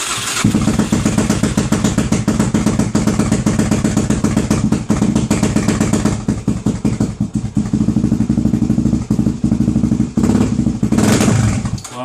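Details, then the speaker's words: Suzuki DR-Z400SM single-cylinder, previously wouldn't start and cuts out when hot; firing unevenly, stumbling and surging with a near stall; owner suspects fuel starvation, coil also considered; rough running. "but um yeah it's obviously not running right it sounds kind of fuel starvation so that's going to be my first sort of portol"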